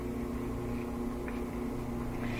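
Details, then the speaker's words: Whirlpool gas dryer started on timed program: steady low motor hum with no drum rumble, drum spins freely by hand; belt has slipped off or broken, drum not turning. "you don't hear the drum spinning. If you open it, you hear the motor dying down, but there's no spin. If you spin it by hand, it spins very easily, so that means the belt's no longer connected."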